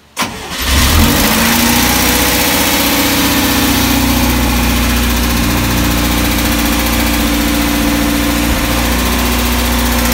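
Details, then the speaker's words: 1965 International Scout 800 after Thrush muffler install, started with choke about half to three-quarters out in a warm garage, in neutral: catches first crank into a fast choke idle, smooth deep exhaust, no puffing leaks; nice idle groan, no exhaust leaks. "so it sounds pretty good I don't know if you can tell the video but it's got a nice dump to it like a nice Idol kind of groan it is pretty nice it doesn't have any leaks"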